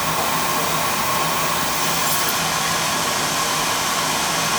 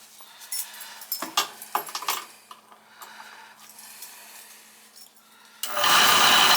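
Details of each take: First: Beckett oil burner after repair of a broken plastic pump coupling: steady, even roar with no knocking, normal burner operation. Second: Beckett oil burner that won't reset or fire after owner's reset attempts, previously had a blocked oil line: motor spins up to a steady even whir with no pump note and no firing; pump coupling found stripped.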